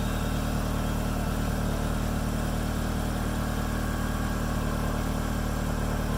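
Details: Smooth, steady idle with an even low hum and no stumbles or surging on a second-generation DSM, started after fuel filter replacement with fuel pump reconnected and battery reconnected; engine running properly.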